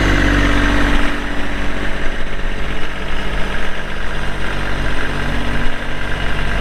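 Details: 2022 Kubota LX2610SU 4WD hydrostatic tractor with loader, 138 hours: low, steady diesel rumble with an even beat and no knocks or rattles; healthy smooth idle.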